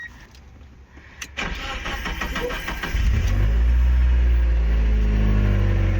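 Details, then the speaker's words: 2000 Mazda Miata MX-5 after no-start repair at the fuel pump, no new pump needed: a short crank, then it catches at once and settles into a smooth, steady low idle with no stumble; normal start and idle. "yeah i think she works easy easy"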